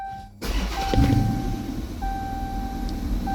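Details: 2015 Dodge Charger after fuel pump replacement for hard starts, fuel pressure holding a little over 60 psi: starter cranks briefly, engine catches straight away and settles into a steady, even idle; normal start.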